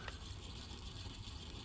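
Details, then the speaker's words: Philips cassette deck repaired with 3D-printed replacement gears: a faint, steady low whirr with light, even gear chatter and no grinding or catching; the tape mechanism is now running normally, though loud. "it's like a steam engine absolutely Wild Man absolutely just just wild I've never seen anything like it but it's very satisfying that it's now working"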